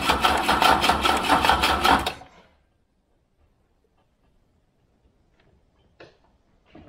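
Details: Wolseley 18/85 BMC 1800 Landcrab after years sitting, choke pulled: about two seconds of steady cranking near two and a half beats a second, then stops dead without catching; fires briefly at most, little fuel reaching it, one plug not soaked.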